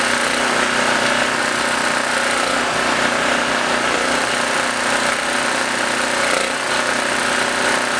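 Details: Blue Max Gen4000B generator, sat for years, carburetor replaced and reassembled, air filter off; runs busy and slightly hunting only on choke, stalls without; owner suspects too much air without the filter.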